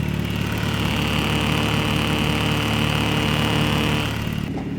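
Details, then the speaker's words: VW Mark II with 20V engine on Speeduino, lower compression, idling around 700 RPM with a recycled idle air control valve being tuned: steady high-pitched hum from the valve over a smooth idle, then drops away. Hum from the wrong PWM frequency; frequency to be increased. "so that arming is an indication of wrong frequency so we have to switch out the frequency and that's basically the frequency is the basis of all the tuning"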